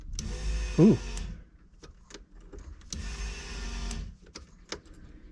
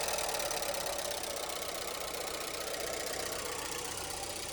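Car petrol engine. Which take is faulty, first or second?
second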